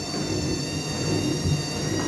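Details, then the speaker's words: Whirlpool washing machine in service test mode on the spin cycle: steady high-pitched squeal over the spin rumble from newly replaced motor brushes still bedding in; normal, and it should disappear once they are run in. "такой писк. Данный писк вызван щетками на двигателе. Они были заменены, новые. Идет притирка их."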